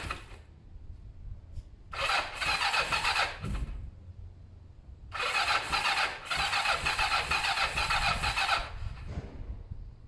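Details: Kawasaki ER-5 twin during service after carb cleaning and new fuel hoses: two long bursts of steady starter whirring, turning over but never firing; cranks but will not start. Owner thinks carbs have fuel and plans to check spark plugs.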